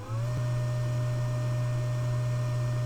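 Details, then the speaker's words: AllPowers R600 LiFePO4 portable power station charging in fast mode switches on its internal cooling fan, which spins up within half a second to a steady low hum with a faint whine, about 50–60 dB; normal cooling fan noise. "but to charge in fast mode the unit turns on an internal fan to keep the unit cool and that fan is actually kind of noisy"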